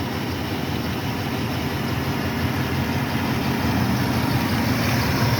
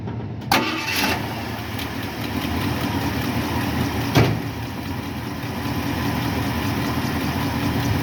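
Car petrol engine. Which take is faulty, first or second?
first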